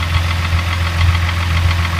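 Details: Rebuilt Mk3 VW VR6 at idle, no throttle: steady rapid even knock over the idle hum; others suggest the timing chain or tensioner, source unknown.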